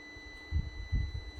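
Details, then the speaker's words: APC back-UPS with replacement battery fitted, just plugged into power: steady high-pitched beep for about a second and a half over soft relay clicks, meaning of beep unknown; UPS beeping. "Not sure what the beeping actually means, but you can still hear the relays clicking."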